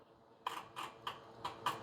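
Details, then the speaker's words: Bobcat zero-turn mower with no-start electrical faults; five sharp clicks about every 0.3 to 0.4 seconds with the engine off as the starter solenoid chatters when power cuts in and out at a corroded fuse holder link. "Right there is our problem. See how Can y'all hear that solenoid?"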